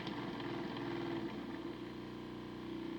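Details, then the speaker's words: Motor in a homemade DCC decoder tester at about 50% throttle, drawing a little over 1 A: ragged buzz with an uneven crackle over the hum, arcing inside; owner suspects the motor is cooked and is frying decoders. "that motor sounds terrible oh she's arcing inside so I'm guessing that the motors cooked and that's probably why it's frying the decoders"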